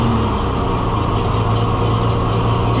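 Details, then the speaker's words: Oliver 1800 C series tractor that sat about a year, just started, settles into a steady low idle with an even beat and no knocks or misses, with oil pressure and charging; running well for having sat so long. "It's not running that bad for not having run in a long time. It's running really good for not having run in a long time."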